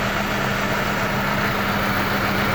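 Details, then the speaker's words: Mercedes W211 E200 heavy misfire with whole engine shaking badly, worse in gear: rough, lumpy, stumbling idle from two dead cylinders; spark plugs and coils water-damaged, cleaned to fix. "ये गाड़ी जो है ये बहुत ज़्यादा मिसिंग कर रही है। जैसा पूरा इंजन कांप रहा है, बहुत ज़्यादा कांप रहा है इंजन, बहुत ज़्यादा मिसिंग कर रही है, बिल्कुल चल रही नहीं है।"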